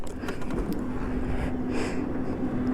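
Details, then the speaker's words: Bajaj Pulsar NS160 BS4 motorcycle on starting: a thin steady squeal over the engine's rough running as it fires up, recently begun; owner thinks it comes from the self-starter motor rather than the battery, not confirmed. "இப்போ வண்டி start பண்ணும்போது பார்த்தீங்கன்னா உங்களுக்கு இந்த கீச்ன்னு சொல்லி ஒரு sound வருதுங்க ஆக்சுவலா இது பேட்டரில இருந்து வருதா சாரி இது செல்ப் மோட்டார்ல இருந்து வருதுன்னு நான் நினைக்கிறேன்"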